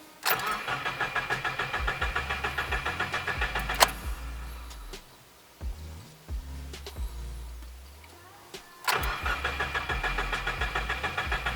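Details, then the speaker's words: Subaru after an oil change, cranked 5–10 seconds twice with clutch and gas held to the floor so it won't start, to pre-fill the oil filter: steady, even starter whirr at about 3.5 turns per second; healthy cranking. "Holding down the clutch and the gas all the way. We're going to crank it like 5 or 10 seconds and then do it twice."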